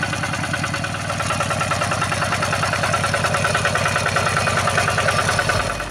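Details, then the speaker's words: Yanmar TF-85 single-cylinder tractor diesel, owner reported rough sound and strong knocking, after field service at idle: steady thump with a light metallic chatter on top from the worn small fan bearings, which need replacing for smoother running. "Dan untuk suara gemericik di sini ini adalah bagian dari bearing kipasnya. Kemudian dari bearing setelan kipas juga ya."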